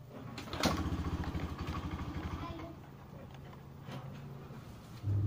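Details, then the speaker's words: Honda Beat FI scooter kick-started after its electric starter gave out. Engine catches and runs unevenly, stumbles when throttle is opened, then dies. A weak fuel pump is suspected; fuel, compression and ignition are still to be checked. "kayak gitu ya hidup bisa tapi nggak mau dikasih hidup pun kadang juga ke susah akhirnya mati kayak gitu ya"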